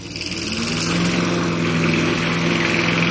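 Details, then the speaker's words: 2015 Toro Recycler 22-inch mower after auto governor/oil slinger replacement (idle had been stuck wide open), as the blade engages; steady, even drone holds constant speed, running smoothly and correctly. "But it sounds good now. It's running exactly the way it's supposed to. Blade engages."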